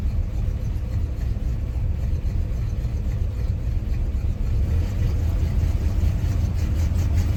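Low, uneven rumble at cold idle with a loping, unsteady beat instead of a smooth hum, pointing to a rough-running cold engine.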